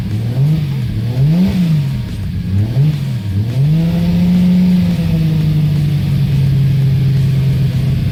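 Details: 1995 240SX with a freshly built 1.5JZ inline-six (2JZ-GE block, Precision 6466 turbo), just fired for the first time: blips up and down a few times, then holds a steady, smooth fast idle with no knocks or ticks.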